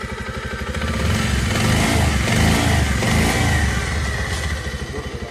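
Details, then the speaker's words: Bajaj Pulsar BS6 after a timing chain replacement cured a clattering noise, fully reassembled: quick, even exhaust pulses that rise and fall cleanly with revs, with no chain rattle. "लगाने के बाद हम दिखाएंगे कि आवाज इसका कितना अच्छा हुआ है।"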